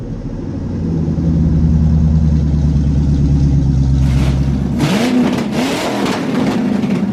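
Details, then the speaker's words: 1985 Corvette C4 after an Edelbrock AVS2 carburetor swap, with idle mixture adjusted to about 23 inHg vacuum and the vacuum advance distributor hooked up: a deep V8 burble climbs quickly on throttle blips and settles cleanly; normal revving. "And as you guys heard, once I hooked up the vacuum advanced distributor, this thing's pretty responsive. I mean, it it shakes the whole car when when you step on"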